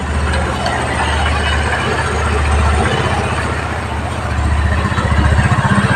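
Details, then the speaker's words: Rusi motorcycle just after tune-up and oil change: steady, even low putter at idle with no knocks or rattles; engine runs smoothly and quietly. "Yan po, tahimik po ang pagkaka-tune up. Ang ganda po ng pagkaka-tune up po. Tahimik na tahimik."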